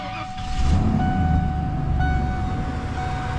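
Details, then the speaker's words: 1994 Ford F150 at key-on, engine not started, after fuel pump wiring was heat-shrunk and the system primed a few times. A faint, even high hum starts at key-on and holds steady as the fuel pump kicks on. Normal priming; the rear tank is checked next. "All right, I already primed it a few times. It should start right up. I hear the fuel pump kick on."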